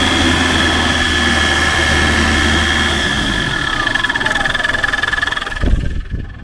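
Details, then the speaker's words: 1991 Land Rover Defender 110 diesel, 330,000 miles, after fixing the fan belt catching intermittently on the alternator: steady even idle, smooth low throb, no slapping or chirp — normal idle. "That sounds better. Is it charging?"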